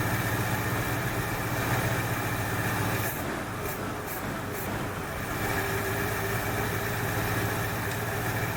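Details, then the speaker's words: 1968 Ford Fairlane, flooding carb fixed: even, steady, smooth low-rumble idle with no misses; sounds better after correcting a line that was hooked up backwards; a plug or two suspected fouled from rich running. "well that sounds better so i think she fouled out a plug or two"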